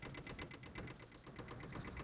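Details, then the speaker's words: Car that won't start, key out of ignition and engine off: fast even ticking about eight per second, owner doubts battery and suspects the ticking relates to the no-start; cause unknown. "I have the key here it's not in the ignition and there's a ticking sound so I'm assuming that's the cause of the reason why the car won't start"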